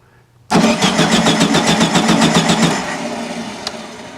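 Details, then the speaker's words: 1974/75 VW Super Beetle, key on, cranked with a spark plug wire grounded on the carburetor: even chug about four beats a second, never catches; no spark, the ignition electronics are not signalling the coil. "no spark so let me turn off the key no spark obviously means no good that means that this is not sending signal to here the fire"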